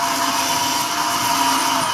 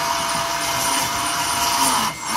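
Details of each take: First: Lesu SK500 LC RC excavator track final drive after disassembly and a homemade gasket with lithium grease to stop the motor rubbing; steady whir and even gear hum, quieter forward, a bit louder in reverse; normal track drive running. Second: Lesu SK500 RC excavator track final drive, with a homemade gasket standoff and lithium grease fitted: a steady high motor whine dips in pitch as direction changes, with a faint rub in reverse as torque pushes the motor outward against the housing.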